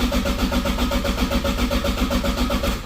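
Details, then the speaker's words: Toyota Supra MK4 (JZA80) on ECU Masters EMU Black base map, flex fuel setup: even starter chugging about four beats a second, never fires; crank no start, suspected flex fuel sensor fault, possibly out of fuel. "so there's an issue with the flex fuel sensor while we're cranking so we're going to have to look into that and see what's going on here"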